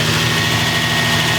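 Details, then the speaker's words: Crashed Nissan 350z running after a start where the missing, ripped-out oil pressure sensor sprayed oil: steady, loud engine drone at constant speed, firm low rumble, no knocking or rattling. "So at least we got to hear it start up. It sounded pretty good, right?"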